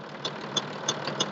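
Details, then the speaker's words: MTZ-1221 tractor diesel at idle: sharp metallic tick about three times a second from the cylinder head; injector replaced and taken for repair, but the knock remains unchanged, cause not found. "поменяли форсунку свозили на ремонт проверили стук как был так и остался"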